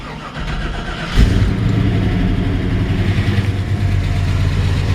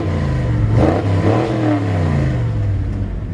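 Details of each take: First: 1984 Chevy K5 Blazer Silverado just started, not yet warmed up: cranks, catches and settles into a steady idle a bit high, sometimes coming down; owner says idle is normal once warm. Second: 1984 Chevy K5 Blazer Silverado with rebuilt transmission, in neutral at a stop sign, given a couple of quick revs: deep V8 rumble rising and falling with a loud, mean exhaust, clean and even, sounds healthy.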